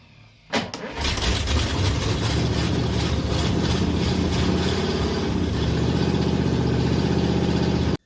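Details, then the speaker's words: Studebaker engine's first start in possibly 50 years, running on gas poured into the carburettor float, exhaust rusted off after the headers: rough, uneven lumpy low beat for several seconds with far too much smoke; compression test planned. "okay so you saw it run the issue is that was way way too much smoke for this engine now the exhaust are rusted off after the headers on both sides that's why the smoke was coming up here and not at the end but obviously we shouldn't have that much smoke"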